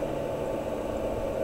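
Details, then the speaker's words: BMW EV conversion with 10kW on-board charger, now with bus-capacitor pre-charge, charging around 34 A: steady even mid-pitch whir and hum as the charger coolant pump and radiator fans switch on; normal cooling operation. "so there's the coolant pump on and coolant is flowing and uh hoping just here the cooling fans are on on the radiator"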